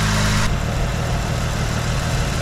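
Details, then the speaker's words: V8 with a rebuilt Rochester 2G carburetor, idle speed just lowered: a deep, even, steady burble with no misses or stumbles; clean normal idle. "all right this thing is running like a charm right now"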